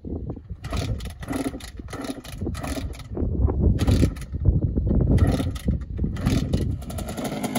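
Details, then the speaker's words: Kawasaki KX65 two-stroke cold start after sitting about a month and a half: it needed a couple more kicks and some throttle finesse but no plug change. Barks and crackles with throttle blips, picks up cleanly, and now runs okay. "all right this one I had to help him with it just wasn't going to go uh didn't have to uh change the plug out just took a couple more kicks and a little finessed with the throttle but it sounds like it's running okay"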